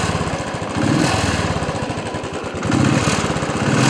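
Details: Single-cylinder Bullet motorcycle thumps unevenly, surging and sagging with skipped beats; misfiring because rainwater got into the fuel tank and mixed with the fuel, drained to fix.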